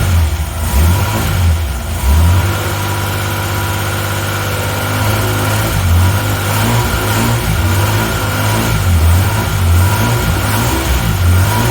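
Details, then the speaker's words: 1980 Reliant Scimitar GTE SE6A, previously a crank no start after standing a month, left 10 minutes then fired on its own: low, steady, even idle with a smooth throb, no knocks or misses. Sounds lovely, normal idle. "Slip. Yeah, she sounds lovely."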